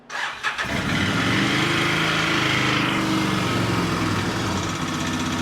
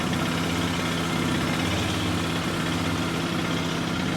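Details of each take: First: 2006 Outlander 800 ATV after replacing the fuel pump to fix a no-run: cranks, catches quickly and settles into a steady idle with no misfire; owner finds it loud and clanky but unsure if normal; normal running. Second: 2006 Can-Am Outlander 800 ATV running after its fuel pump was replaced: steady loud idle with coarse metallic clatter. The owner is unsure whether this engine normally sounds like this. Loud clattery idle.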